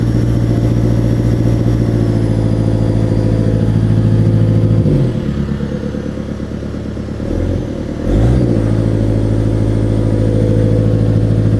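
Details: Cat 277B, 3044C-T diesel, unloaded: rough uneven pulsing beat with brief stumble and sag at mid throttle, puffing smoke, fine at idle and full throttle; owner suspects injectors, fears pump.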